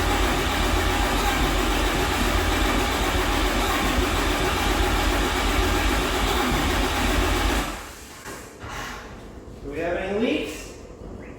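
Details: Hotshot truck swapped to a used 6.7 Cummins not fired in years, on stock tune, seemingly getting fuel: starter churns at a steady even pace about eight seconds but engine never catches; crank, no start.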